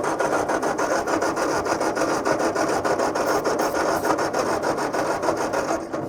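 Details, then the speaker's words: Old tractor with new coil, distributor and plugs, battery around 11 volts, fuel leaking, choke pulled and half throttle: steady rasping starter churn with even compression strokes about three a second, never catching; owner suspects no spark. "that should that should be firing right off there shouldn't it we put a new coil new distributor all that's new on here plugs are new so I know it's but it sounds like it's not getting sparked don't it"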